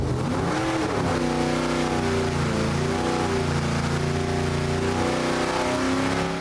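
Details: Rebuilt junkyard Gen 3 Hemi V8 on the dyno, with a stock short block and heads plus springs, cam and manifold change: a deep, even roar rising and falling smoothly with revs under full load, with no knocks or misses. It made 540.7 hp at 6600 and 494.4 at 5200; healthy.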